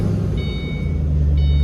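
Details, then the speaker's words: 2005-09 Ford Mustang just started after replacing the AC floor door actuator behind the dash: steady low engine hum and two chimes, with no knocking. Fixed. "and no knocking so we're all good"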